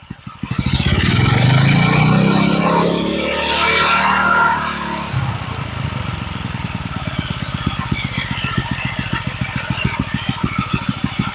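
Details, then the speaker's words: Old edger after blown motor replacement, just started on choke: quick rev settles into a slow, even putter about three beats per second; steady, very low idle, starts and runs well. "This sounds pretty good. I love it when something will idle that low."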